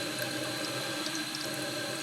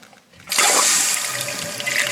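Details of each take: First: Toilet on well water, heavy scale in tank: thin steady hiss of water slowly trickling through the fill valve, no full refill surge; scaled fill valve causing slow fill, to be replaced. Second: Toilet on well water with a slow fill, after fill valve replacement: strong steady hiss of water rushing into the tank right after the flush, a quick, even refill, noticeably faster; normal refill.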